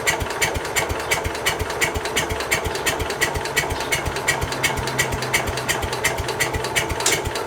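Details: Case 222 lawn and garden tractor, sat about four years, first start attempt with a new battery, full choke and half throttle: even starter cranking about three strokes a second with no catch. The engine turns over but won't fire.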